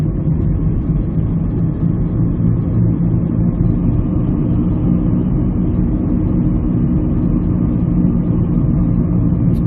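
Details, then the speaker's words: 2001-2002 Ford Escape driving from about 20-30 mph up: constant low humming, grinding roar, steady not pulsing like a tire; left front press-fit wheel bearing found bad and replaced. "Hear that humming noise, that grinding noise? That is different from a tire because a tire makes more of a wah, wah, wah, wah, wah type noise as the bad section of the tire contacts the pavement."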